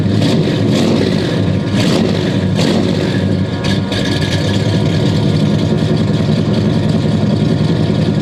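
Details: 1969 Buick Special Deluxe 430 big-block with big cam, first start after sitting over a year (parked fall 2021, out spring 2023); choke backed off after running full choke. Steady even idle with rhythmic cam lope, no knocks or misses; normal lumpy idle.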